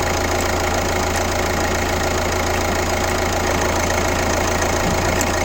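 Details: Kia Ceed 1.6 CRDi diesel (D4FB engine), 115 km, at idle: rhythmic tick-knock about twice a second over the diesel clatter; an abnormal engine noise whose source is not identified.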